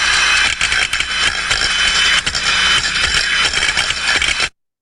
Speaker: you can also hear in the sound recording that metal on metal impacting and that's where the float is just floating around on the bed of condensate knocking against the sides